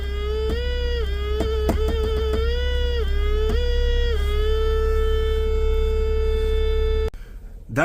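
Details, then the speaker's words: 2017 Ford Explorer 3.5L V6: steady siren-like whine and buzz from the dash opening that changes pitch when warmed, from the HVAC cabin air temperature sensor; fixed by replacing the sensor. "uh noise is made by a agac cabin air temperature sensor that's located right inside there and it looks like that so right in the middle there is a little fan and that's most likely creating that Vining like siren noise"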